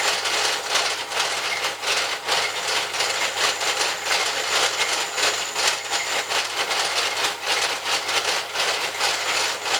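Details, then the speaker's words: Keene lathe after rebuild, at top speed, with slight play the owner suspects is from the manufacturer: rough, hissy rubbing with a soft pulse about once a second, pointing to headstock bearing noise. "there's a little bit of play in T stock I don't know if that was from I would say that could have been from manufacturer i' say here it makes a bit of a noise"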